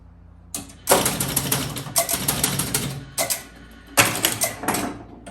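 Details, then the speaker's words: 1976 Bally Flip Flop electromechanical pinball machine during score test: fast bursts of mechanical clicking as the score reels step and reset cleanly. Normal score reel reset. "So you can see it's able to reset the score reels."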